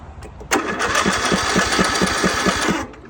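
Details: Husqvarna residential zero-turn mower with a Briggs & Stratton 20 hp engine, neglected, milky oil; PTO switch replaced, parking brake engaged, fuel on. Quick chugging turnover at about four beats a second, then it catches and runs: normal start.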